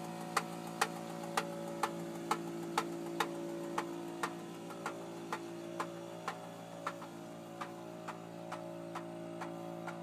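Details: 2002 Intrepid idling with a steady engine hum and a sharp knock about twice a second: engine knocking at idle.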